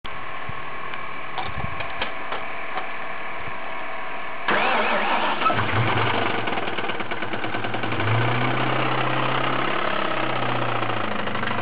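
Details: 1997 Mustang Cobra 4-valve V8 with Kenne Bell supercharger: fires up and idles roughly with a deep knock under the exhaust rumble; suspected rod knock, diagnosis pending.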